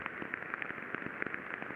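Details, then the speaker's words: Rolling bearing heard through an ultrasound lubrication instrument after greasing: irregular sharp impacts crack through the hiss, showing shock zones where the races are spalled; greasing only filled the spall pits, so the bearing needs replacing. "entend des impacts donc pas ce qui s'est passé effectivement eh bien on a des zones de choc que l'on voit bien ici clairement et bien quand on est agressé en fin de compte le roulement et écaillée"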